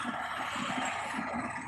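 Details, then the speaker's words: 2010 Toyota Corolla with no AC, engine idling: after a clip is disconnected the AC compressor engages with a steady hiss and rough pulsing hum; the compressor is noisy, and it starts cooling. "now you hear the compressor going it's a noisy compressor"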